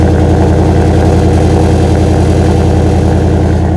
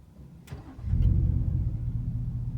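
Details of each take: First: 2018 Ford F-150 5.0 V8 with a Flowmaster Outlaw exhaust, remote-started after sitting an hour at about 30 degrees: a steady idle with a faint metallic rattle from a poorly routed pipe tapping the spare-tire heat shield. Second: 2018 Ford F-150 5.0 V8 with a Flowmaster Outlaw exhaust, heard from the cab on a cold day: the auto start-stop restarts when the brake is released, catching within a second into a deep, loud exhaust rumble; a normal restart.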